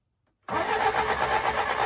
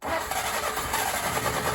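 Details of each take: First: Willys CJ3A Navy jeep, first start attempt on a chilly morning after starter rebuild with new drive and sandblasted housing: starter spins steadily about three turns a second with faint rumble of cylinders briefly catching; has spark, cranking with brief firing. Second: Willys CJ3A Navy jeep, first start attempt on carburetor with fuel from a can, chilly morning: steady uneven crank with no catch; fuel running, seemingly from bottom of intake, heavily flooded, owner guesses float/needle stuck open; cranking, no start.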